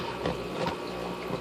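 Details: Aquarium air pump seated by its rubber feet in grooves of an arched plastic filter cartridge holder: soft, steady hum with no rattle or buzzing, stays in place; quiet normal running.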